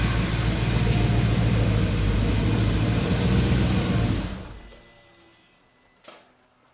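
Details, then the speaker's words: VW Transporter with twin-turbo RS4 V8 after manifold work: smooth, even V8 idle rumble with no ticking or puffing before shutoff; sounds better, healthy, no exhaust leak. "sounds like a V8. Does sound better. That there's no leaks."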